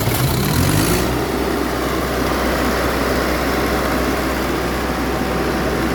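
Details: Perkins diesel engine on a Broadway sweeper, after the fix for no-start and grinding at start: about a second of cranking with rising pitch, then the engine catches and settles into a steady, even run with no grinding; normal start.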